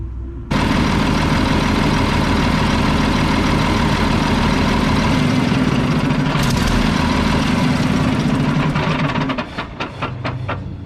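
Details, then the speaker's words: Mack tank truck diesel (believed 1995, 122,000 on odometer): settles into a loud, steady idle with a sharp chuff on each beat from a bad exhaust leak; otherwise sounds good. "Well, it sounds good. It's got a bad exhaust leak. Other than that, it sounds good."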